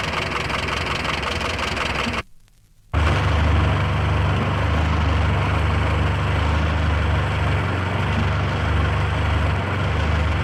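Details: 1964 recording of a four-cylinder engine with faulty tappets left with too much clearance: a quick, light top-end clatter, followed after a short break by the same engine running smoother with its tappets correctly adjusted.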